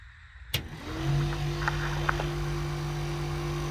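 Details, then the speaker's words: Newly wired vent fan in a DIY camper, heard from the bed: kicks on, spins up within half a second into a loud, steady drone with a mid-pitched hum; works but is louder than expected. "Hear how loud that is? It's way louder than I was expecting. I don't know if I'm gonna be able to sleep with that, but I probably won't need to."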